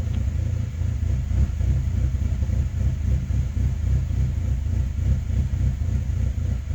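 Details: 2005 Saab 9-3 Aero after rebuild, code P0300, check engine light flashing, plugs brand new: deep rumbling idle with an irregular thump three to four times a second. Owner suspects a coil pack. Rough idle misfire.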